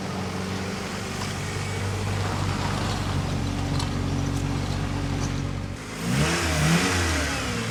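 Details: 1991 Honda Civic after 10+ years sitting, after head retorqued following suspected head gasket issue: smooth even idle with steady low hum, then brief rev blip; nice and quiet, problem appears fixed.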